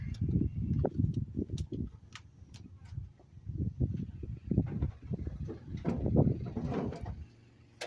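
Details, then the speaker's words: Late-1960s Ford F-600 fuel truck, first start after 25 years parked. Rough chugging surges and fades, then dies because the tank had no gas; a stall from fuel starvation. "it ain't got no gas in it you see there Scooter things are the simplest things first"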